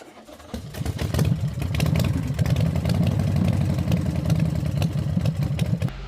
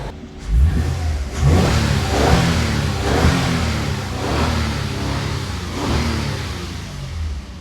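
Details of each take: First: 2022 Toyota Avalon with a random multiple-cylinder misfire and lit traction light, ignition coils checked and spark plugs replaced: low, uneven, stumbling idle under a drone; an injector is the suspected cause. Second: 2022 Toyota Avalon after fixing multiple-cylinder misfire (check engine and traction lights): clean rev swells rising and falling about once a second with no stumble or miss; engine now runs smooth.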